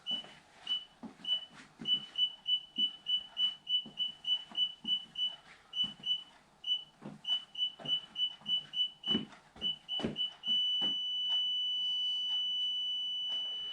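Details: Aftermarket eBay reversing sensors just fitted to a 2006 Mini Cooper R50 rear bumper, first test: high-pitched beeps about a hundred a minute turning to a continuous tone as the obstacle nears; sensors working properly.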